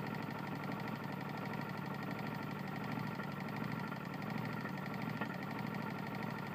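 Small mower engine running steady with a heavy, uneven knock pounding through it at idle, typical of a badly worn connecting rod.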